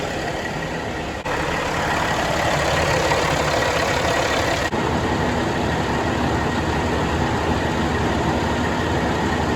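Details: Kenworth W900 with a Cat C15 after a full engine rebuild, idling on a dyno while warming up to temperature before load runs. Steady, even diesel clatter with no misses or knocking: healthy idle.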